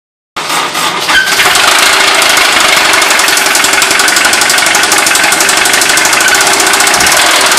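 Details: Honda S2000 petrol engine starts and runs with a loud, steady metallic knocking about four times a second: severe rod knock.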